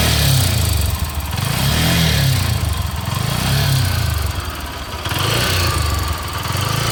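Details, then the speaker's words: Bajaj Pulsar AS 200, about 6.5 years and 30,000 km: single-cylinder running with a rough, uneven clatter that swells and dips with revs, worsening over time; has stalled while riding, seems to run hot and lags. Cause not confirmed. "तो पिछले कुछ टाइम से मुझे इसके इंजन की आवाज़ में कुछ बदलाव सा लगा और तब से इसकी जो इंजन नॉइज़ है वो लगातार बढ़ ही रही है।"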